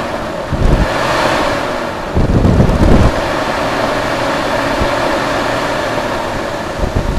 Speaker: A lot of people don't like the sound of this, and that's why they want the fan, electric fan, but to me this is the sound of good cooling.